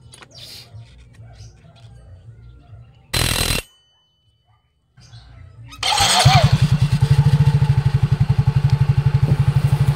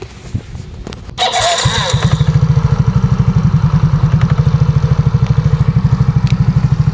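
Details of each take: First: Scooter after replacing the torque drive assembly: after start, a steady, even idle pulse of about four per second with no whine or rattle; the CVT knock is gone. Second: Scooter with new belt, rollers and sliders, lining slipping on take-off: fires up into a quick, even single-cylinder idle with two knocks from the CVT side.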